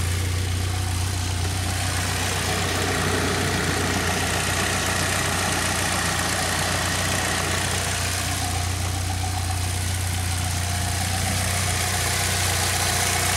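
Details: 2006 Saab 9-3 2.0T turbo four, 189,000 miles, idling after valve cover gasket replacement, before oil change; even, steady idle hum with constant loudness, no knocks or misses; normal idle.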